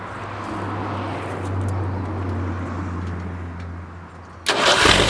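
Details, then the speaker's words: Forklift during rebuild, relay reinstalled to test the fuel pump wiring: steady low idle sags and dies after about four seconds with no misfiring first; the fuel pump is not working, causing fuel starvation. "if the pum isn't working it'll die in and it's dying so we know right there that that pump is not working"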